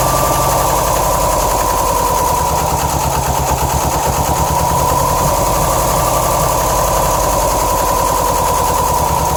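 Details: 2007 Subaru STI turbo flat-four with a loud, uneven, lumpy idle and faint shake, misfire-like, after a shredded check screw in the passenger-side AVCS likely starved cylinders 1 and 3 of oil for a few hundred miles; possible permanent damage.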